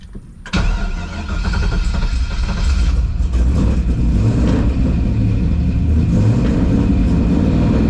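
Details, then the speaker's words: Newly installed 6.0 LS V8 on a base tune after a TPS adjustment, coolant at 207: it cranks, catches within half a second and settles into a deep, steady rumble that builds slightly. Running hard and healthy despite plugs later found fouled. "healthy honestly I call this a win this thing ran it ran long it ran hard this thing sounds like it got some power for real"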